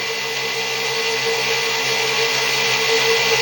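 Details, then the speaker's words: Six-pole zero force motor, wider 1.5-inch neodymium magnets, about 1/8-inch coil gap, 48 V, started near 4000 rpm then loaded: steady high whine held lower, motor bogged down noticeably, BEMF pattern widened; slowing under load. "so you'll notice that it's really bought down quite a bit and the pattern on screen is pretty much extended"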